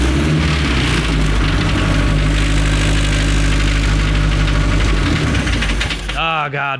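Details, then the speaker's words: 1932 Ford Model A dirt track speedster race car with four-cylinder engine, restored, run daily: loud, steady, throaty four-cylinder beat holding even for six seconds before fading; healthy engine running cleanly, normal. "Make sure you come check us out here at Wheels Through Time. You can hear it run, and there's no sound quite like it."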